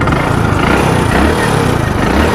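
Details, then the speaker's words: Hero Splendor Plus BS6 single idling: fast dry chattering, loudest on magneto side near the head, quieter on clutch side; worn timing chain noise. "सुनो इस side से आपको ज्यादा आएगी कुछ क्योंकि इधर साइड होती है टाइमिंग चिन ठीक है"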